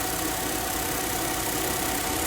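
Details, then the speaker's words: Suzuki Swift AC compressor after cleaning a very dirty system and refilling oil (noise came from low oil; pressures 35/175): steady, even idle hum with no knocking or chatter, compressor now running quietly and smoothly. "Ayan medyo tumahimik na po yung compressor. Sana tuluyan ng mawala."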